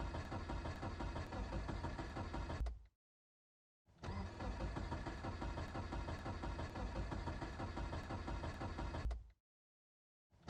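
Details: Car on a cold morning: two long bursts of steady starter cranking, about three compression pulses a second, with no catch or firing before each stop; cranks but won't start.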